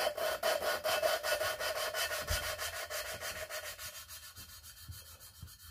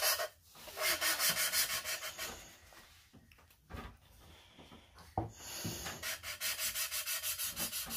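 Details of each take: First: 5.3 LS cylinder head fresh from the machine shop, valve lapped by hand with coarse compound: loud rasping back-and-forth grind about two strokes a second, softening as it goes; valve and seat not yet mated. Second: Hand-lapping a valve into its seat on a 5.3 LS cylinder head fresh from the machine shop, ground until it sounds soft: steady strokes, about three a second, with a fine even hiss and no gritty scratch; valve and seat properly mated.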